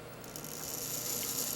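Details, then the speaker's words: Clock movement time train check with the verge removed: a fine, fast, even whirr as the escape wheel spins freely and quickly, showing good time train power; a slow spin would indicate friction or power loss. "see that's considered spinning quickly"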